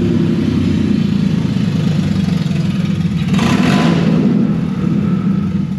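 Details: Turbo Z after a test drive: loud raw blatting under revs with a rushing burst mid-clip; owner is sure the turbo V-band clamp exploded, leaving an open joint.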